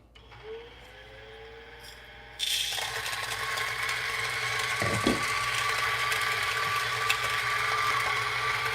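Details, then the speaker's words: Standalone coffee grinder shown for comparison with the Breville Barista Express built-in grinder: motor kicks on and holds a smooth, even grinding hiss with steady pitch and no rattles; normal grinding. "I think that's much better value okay so you guys are already pretty tired grinder right so this is like you know if you buy separate grinder sounds something like this"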